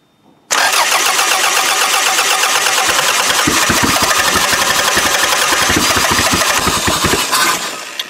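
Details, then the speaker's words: Used Toyota demolition-derby car, with harness jumped, fuel lines connected and throttle cable disconnected, cranks and catches, then stumbles irregularly and fades out after about seven seconds; its old low-idle problem persists. "Yeah, see, it still seems to be having that low idle problem."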